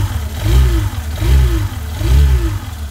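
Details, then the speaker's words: 2019 Fazer 150 motorcycle: a whine rising and falling with each of three throttle blips over the engine note, traced not to a mechanical fault but to the stator's magnetic field; stator magnetic whine. "se tiver algum barulho com zumbido alguma coisa assim pessoal não é nenhum problema na parte mecânica pessoal é aqui ó estatura é o campo magnético aqui que faz esse barulho aqui"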